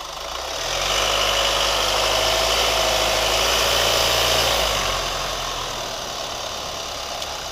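Steady idle with a fast, even light tick riding over the engine, about four a second, until the engine drops away; cause unclear.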